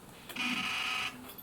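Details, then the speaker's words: Olympus PEN Mini E-PM2 camera before IBIS repair, IBIS indicator flashing and sensor moving only vertically: harsh high buzz about a second long at switch-on instead of a quiet click; abnormal buzzing at power-on. "It has the following problem. When you turn it on, it will make a weird"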